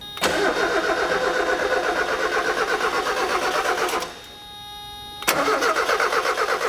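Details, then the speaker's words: 1994 Mazda Miata that cranks and cranks but won't start: starter cranks with a strong, even rhythm of compression strokes and good starter load, showing good even compression, but the engine never fires; cause not yet found. "So just hearing it crank, I can hear that it has good, strong, even compression. There is a good load on the starter from the compression being good."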